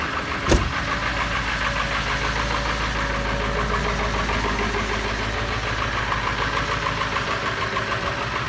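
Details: Ford 7.3 diesel cold start at 0°C (32°F), after long cranking to build oil pressure and re-running glow plugs; clatters and stumbles at a fast, uneven idle with heavy smoke and unburnt fuel smell before warming.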